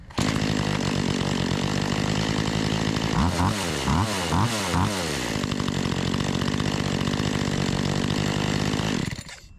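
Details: Makita EA3200S chainsaw stored a year, restarted after a new diaphragm: two-stroke idles smoothly and evenly, throttle blips rise and settle without stumble; normal idle.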